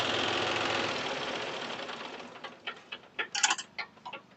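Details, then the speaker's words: John Deere 5105 diesel tractor with overheating and oil mixing into coolant, thermostat already removed; just after start-up, a quick uneven ticking rattle about three or four a second through the idle: engine rattle at idle, sound judged not right. "लेकिन आवाज कुछ ठीक नहीं है। ये तार तार तार तार जो आवाज करता है ना"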